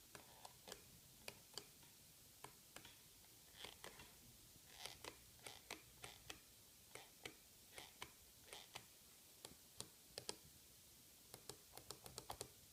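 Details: Microsoft Designer Bluetooth mouse after one month of light use, in a quiet room: sharp dry creaks and clicks, one or two per second, as the shell flexes under the palm pressing the left button.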